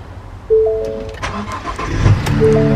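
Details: Ford Transit cargo van V6 starting: starter catches quickly and settles into a smooth, steady idle under background music; healthy start.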